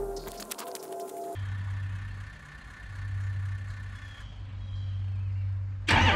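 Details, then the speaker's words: 2005 Ford F350 6.0 Powerstroke cold start after sitting overnight, following replacement of a faulty low-voltage FICM that wasn't firing the injectors properly: quick crank into a steady, even idle with a loud, strong injector buzz and no misfire; healthy. "the injector buzzer is a night and day difference it's so loud it sounds healthy"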